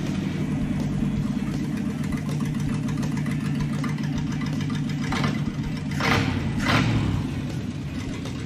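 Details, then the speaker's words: Steady, even carbureted V8 pickup idle with brief throttle blips, no misses or ticks, after carburetor cleaning, vacuum leak check and idle adjustment; runs great. "Okay, I think we're good. Not bad. Oh man, I'm super happy that thing is running great."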